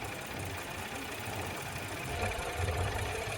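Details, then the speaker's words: 2015 Audi Q7 V6 TFSI at idle after code reset: uneven, lumpy low throb, constant cylinder 5 misfire; coil swap didn't fix it. "So you see this is gone through the reset process, and so you're still just constantly misfiring on cylinder 5."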